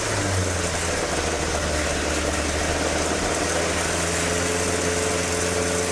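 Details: Toyota AE86 with 4AG engine after exhaust leak repair, stock exhaust sound: steady even idle, smooth low rumble, no puffing or ticking from pipes; exhaust sealed and healthy.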